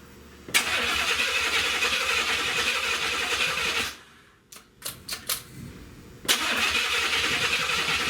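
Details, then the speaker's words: Buick 455 V8 first start-up from a Wildcat convertible, tested before deciding on rebuild: catches and runs with a steady, even roar, cuts out briefly, restarts smoothly; no knocking, sounds healthy, though a big oil leak noted. "All right. Sounds good, don't it? Sound like no knocking or nothing, do it?"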